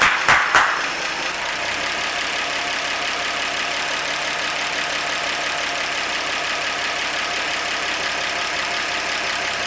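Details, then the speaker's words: 1948 Chevy stovebolt straight-six, first start in 32 years: steady, even idle after opening clunks, smooth ticking with no misses; vacuum a little low, owner suspects carburetor or intake bolts. "i'm a little low on vacuum so i'll have to look around and recheck my bolts on my carburetor and my intake but man she's just purring away yeah"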